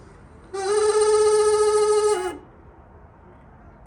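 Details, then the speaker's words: Oldsmobile Vista Cruiser first start after 21 years sitting: steady hooting tone with buzzy overtones lasting under two seconds at key-on, then stops; owner thinks it is the blower motor struggling to run. "It's the blower motor trying to work, I think. What is wrong with you? Quit it."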